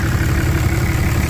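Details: Idle on a 4th-gen Ram 3500 Cummins after a cheap HE351VE VGT turbo rebuild, with the VGT sensor not yet hooked up. Deep, steady diesel idle with an even low thrum and no misses, knocks or turbo whine; healthy. No oil leaks but a little dribble; still needs calibration.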